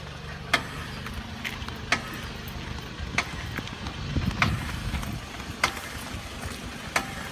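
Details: Sharp metallic knocks about every 1.2 seconds over low road rumble from rear passenger-side drum brake, appearing after 10-15 min of driving once the wheel heats up; dealer reproduced and fixed a drum brake issue, not safety-related.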